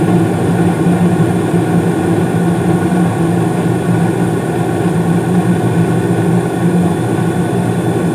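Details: 2016 Carrier furnace with Honeywell humidifier: steady even low hum and smooth airflow rush, no rattles; main blower comes on about 23 seconds after burner ignition, inducer running, flames blue; normal running.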